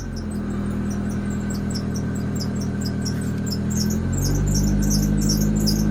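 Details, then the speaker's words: 1994 manual Toyota Celica, 306,000 mi, at idle: fast chirping squeal that gets much louder while the steering wheel is turned and stops when straightened; likely a bad power steering pump. "Oh, it gets so much louder when you turn the wheel. Oh, it's not happy. There we go. If I straighten the wheel, it stops. So, obviously, this is probably going to be a bad power steering pump."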